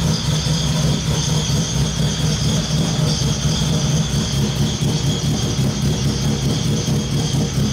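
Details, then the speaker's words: Honda K24 swap in BMW E30, stock cams, before setting base ignition timing: loud, lumpy, stumbling idle that won't settle; wideband lambda shows it running far too rich, to be leaned out. "oh there we go okay so you can see how rich it's running that's ridiculous okay we're gonna lean it out a little bit"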